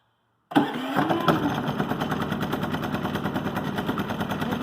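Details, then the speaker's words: Harbor Freight Predator 3500 W inverter generator, nearly full on gas, in a cold room: silence, then a quick catch and steady even patter settling into fast idle; starts right up, very quiet, normal. "start right up. It is so quiet. I can actually talk and I don't have to yell."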